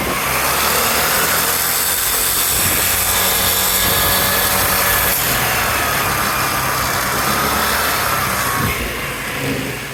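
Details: 2011 Vespa LX 150ie scooter engine accelerating with a harsh, raspy grinding over a rising whine; cause undiagnosed.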